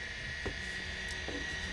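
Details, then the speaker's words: Convergent Technologies AWS hard drive, well-tested unit, head arm likely driven by positioning motor rather than voice coil: quiet steady high whine at one pitch with soft faint ticks, quieter than Maxtor XT 219; normal drive spin. "and that is exactly what these things are supposed to sound like nice and quiet relatively to uh the maxter XT 219 that I work with on a regular basis"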